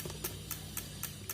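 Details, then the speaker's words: Honda Vario 110 LED CBS ISS scooter, ignition on, battery reading about 12.3–12.4 V at rest: rapid even tek-tek ticking with no cranking; starter relay chattering because the weak battery collapses under load. "ini berarti kalau kayak gini arusnya udah enggak jelas ya Nah kalau kayak gini udah pasti ya kalau kayak gini akinya nih udah kurang bagus"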